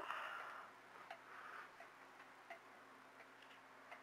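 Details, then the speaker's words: Regulator clock after calendar hand repair: brief clatter as the case closes, then clean ticks about 0.7 seconds apart settle into a steady, even beat. "it's time to fire it up there we go got our tickin again"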